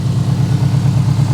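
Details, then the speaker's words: 2003 Subaru WRX bought broken with a suspected gearbox fault: steady, even low idle with a smooth regular pulse, no knocks, misses or hunting, no smoke or radiator bubbles; the engine idles cleanly. "So, well, it's idling on its own and it sounds good. So, it's idling on its own."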